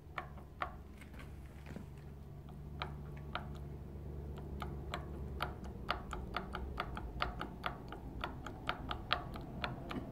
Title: BMW Z3 2.8 M52TU Vanos piston bearing play - before and after adjustment